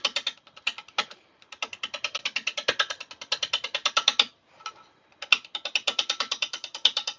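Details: Lathe turning a blank, best guess birch, with a spindle roughing gouge and tailstock brought up: sharp, uneven tapping clicks about twice a second as the gouge hits the off-round, bouncing blank; out-of-balance workpiece.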